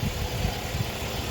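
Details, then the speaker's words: 2014 Honda Pilot idling right after an oil change, restarted several times because of an earlier intermittent long-start issue: a low, soft, even idle hum with no ticking, knocking or hunting; normal idle. "Honestly, think she's golden. Sounds like she's running like a top"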